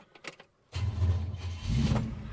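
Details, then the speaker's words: Holden HK with freshly refitted starter motor, restart after battery charged overnight. Starter drags the engine over slowly and laboriously, a heavy sluggish churn without catching. Owner says it's not an earth problem; starter very groggy, never like that before. "Really groggy. It was never like that before, so I'm going to go for a drive shortly and just take for a test run, then come back. It's not an earth problem. The starter motor wasn't like that before."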